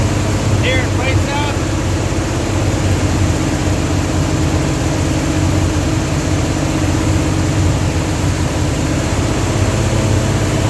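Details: Dodge 360 Mopar LA V8 truck with Holley double-pumper carb, idle turned up with vacuum gauge fitted: uneven, lumpy, hunting idle, won't idle below about 1,500 rpm; owner suspects serious vacuum leak, possibly intake or carb gasket, not confirmed.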